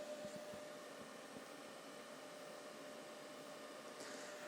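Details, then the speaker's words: EcoFlow Delta 2 power station charging from about 1% at roughly 530 W; quiet, steady whir of cooling fans with a faint constant tone, no rattles; noticeable but not terrible; normal cooling fan noise. "not the end of the world not terrible but still definitely noticeable"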